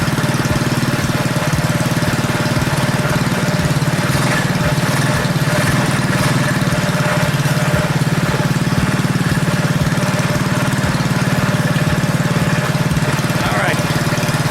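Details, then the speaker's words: Predator 212cc single on a modified Coleman KT196 go-kart with advanced ignition timing, just started, holds a steady even putter with no misses or knocks; idle slightly high, owner plans to lower idle speed. "actually hiding them idling a little higher than it usually would be you know on Volkswagens if you advance the timing difficult the idle speed will pick up so that's why it started so easy because it had just a little throttle on"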